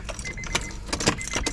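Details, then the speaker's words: Honda CR-V with B16 turbo swap and new clutch, cranked with ECU unpowered to prime oil; harsh, uneven metallic clashes and rattles while cranking; starter gear grinding on flywheel teeth, owner compares it to a pressure plate hitting the bellhousing. "So, even with the ECU not connected or getting power, I was like, let me try to crank it over real quick just to prime the oil. And it makes a crazy ass noise."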